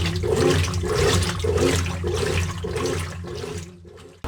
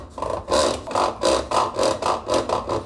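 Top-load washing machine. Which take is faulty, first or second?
second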